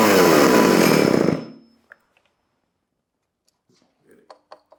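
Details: Vintage Pioneer P26 chainsaw (1976–81) found in a barn, first start with a little choke and a loose exhaust: a raspy two-stroke buzz runs about a second, then sags and dies; it won't keep an idle.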